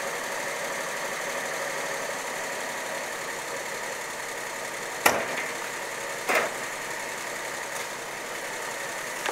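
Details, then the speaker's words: Triumph Herald 13/60 engine after a cold start, having sat a few days; no oil leaks, starts fine even after 6 weeks. Quiet, even idle hum with no knocking or misfires, a couple of sharp handling clicks; normal idle. "the longest time I've left this engine without starting is about 6 weeks and it starts fine every time never had any problems with it at all"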